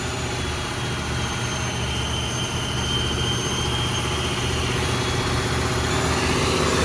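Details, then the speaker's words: Old Ford turbo diesel truck that sat for years, first run after bleeding injectors and glow plugs, jumper cables and jump box disconnected: steady low diesel rumble, even clatter, faint turbo whistle; idling properly on its own. "well she is running on her own power we have disconnected the jumper cable and the jump [Applause] box"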